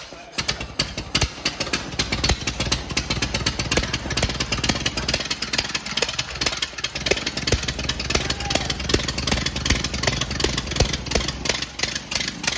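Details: 1928 Ford Model A 201 cid flathead inline-four, first run after 17-18 years stored, choke on, timing locked slightly advanced: fast, even ticking idle with steady low thrum, no knocks or misses; running smoothly.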